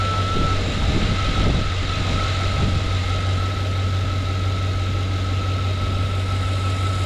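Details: 2007 Chevy Suburban with starting-then-stalling and extended-crank complaint, after plugging in the MAP sensor and finding a shorted harness in cold weather: smooth, even idle with steady low hum and faint constant tone, no stumbling; normal idle.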